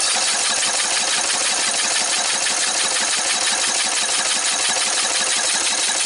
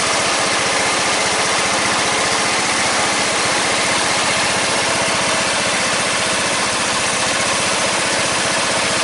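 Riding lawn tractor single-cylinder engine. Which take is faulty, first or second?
first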